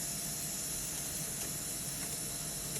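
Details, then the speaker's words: Breville BES990 espresso machine with the panel removed: a continuous soft hiss of steam leaking at the three boiler heating probes, with moisture visible; the probes need replacing and a new pump is also needed. "Guess what? We have a leakage here on the probes right there."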